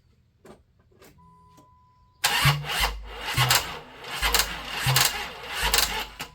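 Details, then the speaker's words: 1995 Plymouth Voyager 3.0 V6, first start attempt after timing work: the starter cranks in uneven surges with a few pops but won't start. Owner suspects wrong timing or a dead battery; the distributor was later reclocked because it fired too early or late. "Alright, good morning everybody. That's not good. Sounds like timing's wrong. What did I do wrong?"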